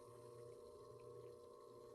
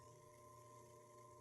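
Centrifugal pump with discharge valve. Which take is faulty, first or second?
first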